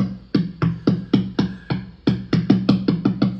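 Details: National HRO-500 HF oscillator tuning capacitor, heard on an RTL-SDR in narrowband FM with the VFO near 9 MHz. Tapping gives hollow ringing thumps about four per second. Finger pressure steadies it; something on the capacitor is loose, causing microphonics and lost sync lock.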